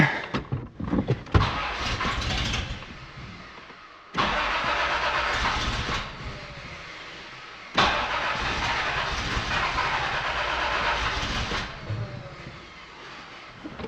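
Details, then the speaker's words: Toyota 4Runner 3.0 V6 during head gasket and timing belt work. It cranks and catches, then revs in lazy, uneven surges with a flat, choked note. Ignition timing is too retarded, out of advance, and the distributor is being adjusted (possibly a tooth off). "timing sounds terribly the problem is I'm out of Advance I'm going to try moving it further and make sure it sounds"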